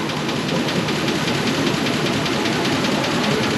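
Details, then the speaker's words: 2004 Chevy Express 4.8 V8 cold idle: fast light ticking over steady idle; hydraulic lifters with internal spring sticking when cold, oil pressure adequate, noise fades as temperature rises, gone after about 7–10 minutes. "el golpe conforme la temperatura va elevándose el ruido va bajando esos botadores tienen un resorte interno para esta Chevy"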